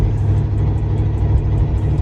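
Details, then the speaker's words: Carbureted Cutlass V8 after reassembly: a deep, lumpy idle that swells and dips, with a faint tick about five times a second. Rough idle, owner suspects the carburetor is not dialed in and is considering EFI; unconfirmed. "still a little bit off still runs a little rough too so that's another issue that we're working on with this car trying to get everything figured out cuz as of now here runs but doesn't run very well"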